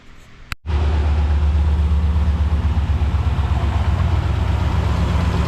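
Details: 2005 Lincoln Aviator after replacing lash adjusters to cure a top-end knock, fresh Motorcraft synthetic oil with Lucas stabilizer: engine catches and settles into a steady, even idle with no knock or rattle.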